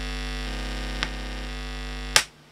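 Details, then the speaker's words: Old Omnitronic turntable on a Numark mixer: steady low 50 Hz mains hum with a buzzy edge while the ground wire is disconnected, then a click as it is grounded to the ground screw cuts it to near silence. "a volume up you should hear it 50 hertz noise and it's impossible to use turntable with this distance"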